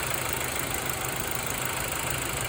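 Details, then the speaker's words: 2005 Mazda3 2.3 four-cylinder just after valve cover gasket replacement: a steady idle with no misses, ticks, knocks or hunting. No engine lights, a whole lot smoother than before; spilled oil smokes from the tailpipe. "Let's see how good I did. No engine lights. A whole lot smoother and a whole lot"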